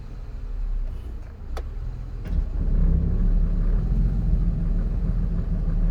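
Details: 2002 Ford Escape 3.0 V6, 217k miles: rough idle with rpm constantly fluctuating, mostly when warm, sometimes stalling; oil pressure light flickers as rpm drops. IAC and throttle body cleaned and oil pressure sender replaced without fixing it; cause unclear.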